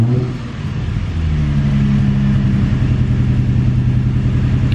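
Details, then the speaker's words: Infiniti G35 (350Z-type V6) with random stumble, mostly low rpm at medium/high throttle, misfire codes P0300-P0306; uneven stumbling idle with irregular dips, a miss, later given new coils and spark plugs. "so let me get in here and start it up first and so you can hear the miss um and then we'll go from there"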